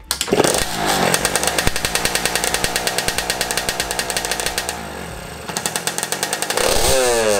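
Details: DT two-stroke motorcycle with a newly installed shifter, started with no gear engaged to test the ignition cut. A crisp buzz with a steady pulse dips briefly as the ignition cuts, then picks straight back up; normal running with a working cut.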